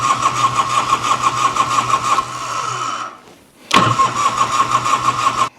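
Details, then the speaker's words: 1986 Harley-Davidson Liberty Edition Electra Glide Classic revived after sitting for 10 years, fuel confirmed: it runs unevenly, cuts out, catches briefly, then dies abruptly. Loss of spark; the owner suspects the ignition module. "Okay, did I lose spark? That's weird, isn't it? Okay, so we have lost spark."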